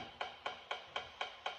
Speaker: that ticking is actually the car asking for a key. So every 4 times a second, it's saying, is there a key, is there a key, is there a key?